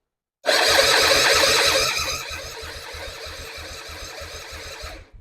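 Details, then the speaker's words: 2005 Suzuki Intruder, project bike, cranked on a borrowed battery before fuelling: strong starter whir then even compression strokes a bit over two a second at steady speed; healthy cranking. "Yeah, so it cranks nicely."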